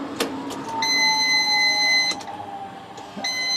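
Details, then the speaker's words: 1994 Nissan Sil80 fuel pump priming at key-on before the first engine start in ages, with new filter fitted: steady high-pitched electric whine for a couple of seconds, stops, then resumes, pressurizing the fuel lines to check for leaks; normal priming. "the fuel pump going sounds good just pressurize those at default for bar"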